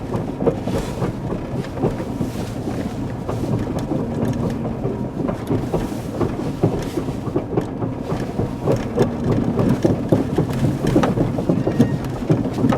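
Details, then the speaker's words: 2005 Ford Escape AWD transfer case (PTU) with fluid long unchecked, driven about 300 miles noisy, rolling slowly into the garage before replacement: irregular banging, popping and grinding rumble; transfer case failing internally, suspected. "I think you can probably hear all that banging and popping and cranking"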